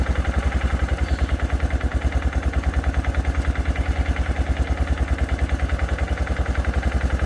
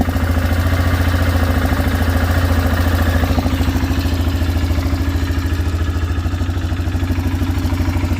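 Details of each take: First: 2006 Arctic Cat 400 4x4 quad, just started with a shot of brake parts cleaner after cranking without firing: even, steady thumping single-cylinder idle, no misses or knocks; owner suspects something dirty had stopped it pulling fuel. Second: 2006 Arctic Cat 400 4x4 quad, started with a shot of ether. The carburetor looks brand new, possibly a replacement or Chinese unit, and it blew black smoke when revved. Air filter dirty, no oil-burning smell. Uneven, loping single-cylinder idle with clatter: rough idle from the carburetor.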